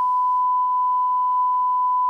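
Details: Rotel RA-985BX amplifier after repair and bias current adjustment, 1 kHz test tone on the speaker outputs: steady pure high tone stays clean with no crackle while the balance control is turned; output healthy.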